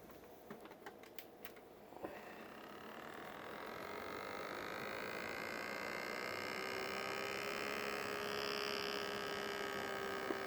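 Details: PC custom water-cooling loop pump, recently cleaned: sharp irregular ticking and clicking over a quiet hum, then steady whir with faint rising tone; debris in the pump or a failing pump suspected.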